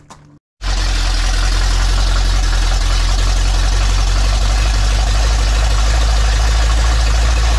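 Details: Big block Ford 460 in a 1956 F-100, fired up for cam break-in; catches and settles into a loud, deep, even rumble with steady firing pulses, no knocks or misses; normal idle.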